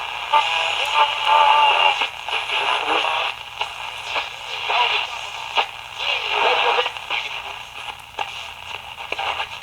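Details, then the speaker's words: Ten-transistor Transette radio receiver after troubleshooting, repair and IF alignment: tuning across the dial brings in station after station, loud and clear with only short hiss between them. The receiver works well. "So many stations. Really good receiver."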